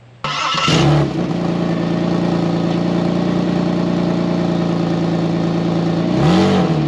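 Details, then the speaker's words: Saturn VUE after welding in new flex pipe and exhaust pipe: engine starts into loud, raspy drone; front flex pipe also broken and a small leak remains at top of weld. "but I do have a little bit of a leak still right up on the top here"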